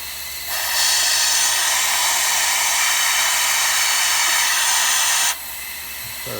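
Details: LBSC Tich model steam locomotive run on compressed air with the throttle open. A steady, loud rush of air comes from the exhaust for about five seconds with no chuff beat and the wheels not turning: the valve timing is out.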